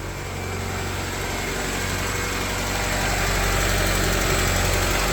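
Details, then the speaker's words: Honda EF Civic sedan engine at idle after timing belt replacement following a snapped belt: even fast ticking about four per second over steady idle; ticking at idle, owner suspects rocker arm ticks rather than valve stems. "Sounds all right. Sounds a little ticky. Yeah, sounds like I could use another valve stem adjustment after a couple 100 miles."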